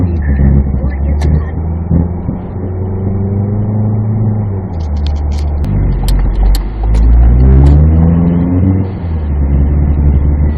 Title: 2016 Ford Focus making strange grinding noises with strong vibration upon acceleration - DPS6 DCT